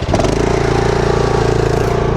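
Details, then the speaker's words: Lawn mower at about 23 hours, under a year old, after dealer warranty work: steady even high idle with no clatter, sounds healthy; at low idle it clatters, worse the longer it runs. "it sounds fine."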